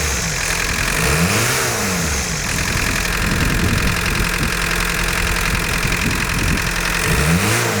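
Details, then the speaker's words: 1990 VW Golf MK2 GTD diesel, after replacing the rocker gasket and leaky hoses, revved: clatter rises and falls with throttle blips but no turbo spool whistle, still some smoke. "there's still a bit of smoke i still can't hear the turbos spooling up"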